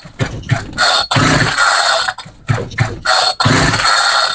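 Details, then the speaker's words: Homelite string trimmer that ran about five minutes then died, choke off: four pull-cord bursts with hissy sucking rasp, no firing; suspected lean fuel or vacuum leak from damaged carb gasket, not confirmed. "Wonder if it's just not getting enough fuel, because it sounds like it's sucking air through the carb."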